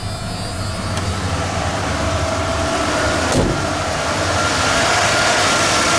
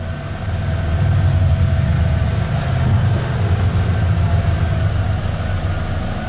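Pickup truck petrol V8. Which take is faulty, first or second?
first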